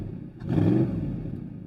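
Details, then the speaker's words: Crashed salvage Audi R8 V8 just started: quick heavy blip swelling and fading over a deep, loud rumble, louder than stock; owner unsure whether the exhaust is damaged, and smoke then appears from underneath. "This thing sounds absolutely crazy. I I don't I don't know if the exhaust is damaged or is that how they actually sound because as far as I know the the exhaust is stuck, but listen to this."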